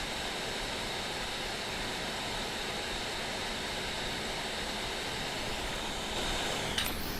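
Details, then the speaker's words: Steam Deck with Delta fan, electrical tape fix and fan-curve update, running a game: soft steady airy hiss with no whine or tonal edge; quiet fan. "I don't know if you can tell, but that is incredibly quiet. It's like the switch at its full tilt."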